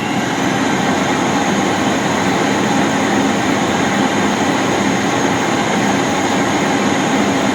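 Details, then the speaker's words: 1997 Rainbow D4C SE canister motor after a bearing rebuild and commutator polish, water in the bowl, drawing 9.8 amps: smooth, even whoosh on wind-up and wind-down, with no ticking or grinding. A dramatic improvement over the failed-bearing tick. "Oh, that's so much better. And my current meter said 9.8 amps. So listen to the wind up and of course the wind down. That's quite a dramatic improvement."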